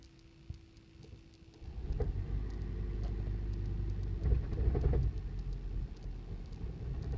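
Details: 2008 Toyota Prius at startup: seatbelt beeping, then engine fires into rough, lumpy idle with uneven low thumps and whole-car shaking; sudden onset, repeated on restarts, check engine light came on by third start; misfire.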